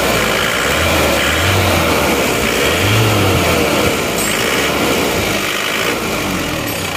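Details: Isuzu Panther diesel after rebuild (one liner, piston ring set, gaskets replaced; previously smoking), at ideal operating temperature: even clatter rising cleanly on a short throttle blip and settling steady, no misses or knocks; exhaust smoke now clean.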